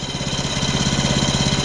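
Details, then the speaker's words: Woodland Mills HM126 14HP sawmill idling with a worn centrifugal blade clutch: fast ticking, about ten per second, with light metallic tinging. Clutch is close to engaging at idle, with no adjustment found. Blade stalled under slight load; clutch being replaced. "Hear that tinging? That tinging tells you that that clutch is pretty close to engaging right now."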